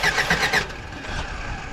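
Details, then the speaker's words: Old Toyota truck that sat 26 years cranks in quick even pulses, then stops without firing; crank no start. "Yeah, I think I need to check timing."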